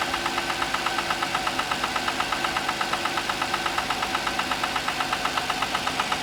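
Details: Audi A6 C6, cold morning start: sharp metallic ticking about twice a second over a steady idle, even and persistent. This is an engine knock, source undetermined.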